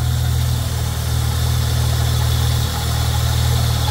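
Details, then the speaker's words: Holden Commodore VS Ecotec V6 at idle, listening through a tool handle held to the pulleys: rough scratchy grind under a steady hum from the lower idler pulley; tensioner pulley above also sounds bad. Both need replacing. "right so straight away I'm hearing that this pulley down here has got a very grindy scratchy noise the one up above is just sounds normal it sounds like a running bearing and this one here also sounds horrible"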